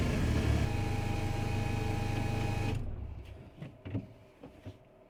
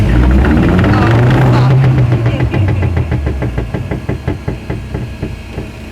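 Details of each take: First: VW Polo 6N2 being returned to the road after 6 years, running after prop shaft work: even low drone with only a slight scrape underneath and no rhythmic banging from the prop shaft balance weight; prop shaft now runs smooth. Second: VW Polo 6n2 off the road for 6 years: on a shakedown drive, a horrendous, heavy regular knocking, about four a second, from underneath as the rotating prop shaft balance weight struck the top of the subframe.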